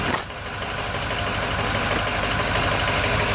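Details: 2006 Ford E-450 Super Duty, 6.0 V8 diesel, after starter replacement: catches and settles into an even diesel clatter at steady idle with no stumbling or odd knocks; now starts and runs.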